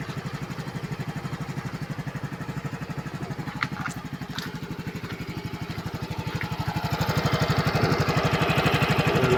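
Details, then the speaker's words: Flood-soaked Yamaha scooter with water drawn through the wet air filter into the carburetor: quick, slightly uneven firing about four per second, rising as the engine clears and warms. Harness and stop/kill-switch contacts also wet; oil and gear oil change needed. "So pumasok kasi yung tubig diyan sa filter. Nahigop basa."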